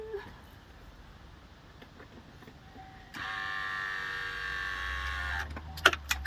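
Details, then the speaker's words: 1989 Buick Reatta, high-idle repair: idle air control valve removed; soft steady motor whirr then sharp clicks as plunger over-extends, too far out to reinstall. "well let's see if I can get this to close more so I can actually install it because this is extended out too far for me to put it back in the hole"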